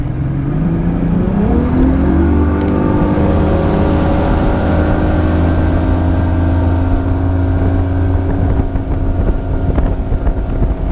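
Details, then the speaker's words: 1999 Johnson 200 HP outboard (J200PLEEB) under way days after replacing the fuel flow vacuum switch blamed for false check-engine alarms in chop: steady low drone through chop with wind on the mic and no alarm tone; normal running. "i'm gonna go check out the fix that i did and make sure that my engine's still running good so you can see it's running no uh check engine light and let's see how she does"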